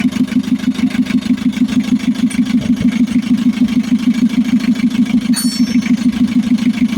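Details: Mitsubishi L300 FB diesel after a hard-starting fix (injection pump that stopped supplying diesel replaced, tangled wiring, starter, alternator and grounded ignition switch repaired): starts and idles smoothly, even beat around three per second, no misses or knocks; normal idle.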